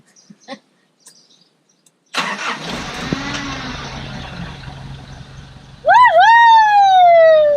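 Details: Nissan Big M truck after fuel pump and battery replacement, handbrake on: starter turns briefly, engine catches at once and settles into a steady, even idle with no knocks; healthy start and idle.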